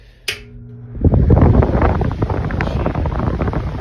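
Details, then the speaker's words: 1950 Air King one-speed window fan, reassembled with its motor oiled, new wiring, and pitched, balanced blades left unpainted. Click at switch-on, then a steady airy whoosh and even hum with no knocking or scraping: normal running. "1-speed model, and the blades are quite pitched there, and they're balanced."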